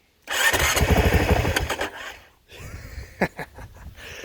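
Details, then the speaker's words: Motorcycle 450L, first startup after reverting to stock: catches, revs briefly, sags about two seconds in, idles unevenly; hard start, stumbling idle. "It's how lean this thing has to run that they put, if I can find it anymore. Yeah, that nice little electronic choke. Also is the idle adjuster."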